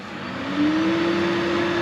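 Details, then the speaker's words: Heatmaster G10000 outdoor wood boiler after deep clean, cold start: draft fan hum rises in pitch as it spins up then holds steady, no rattle or scrape; runs quiet and healthy. "I mean the fan runs like butter now so which is good hit the cold start I mean you can't even hear it"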